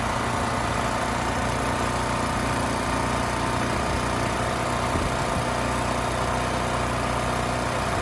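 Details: Westinghouse 7,000-watt electric-start generator after carburetor cleaning and fresh fuel (previously rusted tank, gummed carb): steady, even engine note with no misses, surges or knocks. It smoothed right out; fault possibly bad fuel, pilot jet or emulsion tube.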